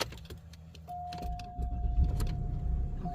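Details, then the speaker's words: 2003 Cadillac DeVille Northstar V8, 169k miles, after replacing failing ignition coils that caused misfires: short crank and chime, catches quickly and settles to a firm, even rumble with no stumbling; normal start-up. "started up fine so I'll drive it for a little bit"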